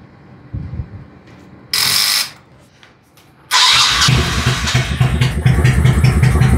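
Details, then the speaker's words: 1998 Honda Shadow Aero 1100 V-twin, 20,000 miles, sat for years: starter whirs, engine turns over with uneven chuffing but never catches and runs; owner suspects old gas left in the carburetors, cause not confirmed. "so um that's really the only issue and I believe it's because you know instead of draining the carbs I just let the old gas sit in there for years smart you know"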